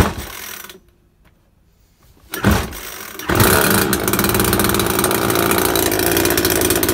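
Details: Makita top-handle climbing chainsaw, two-stroke petrol, first start after replacing broken-down primary ignition coil: a pull, short gap, then it catches and settles into a steady even buzz; now runs properly.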